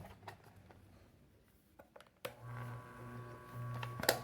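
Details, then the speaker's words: Maytec fan motor that previously would not turn its shaft and made noise, after tightening and reassembly, tested through first, second and third speeds: steady, smooth hum with no rattle or grinding. Now working normally. "Mira, ahí ya está funcionando."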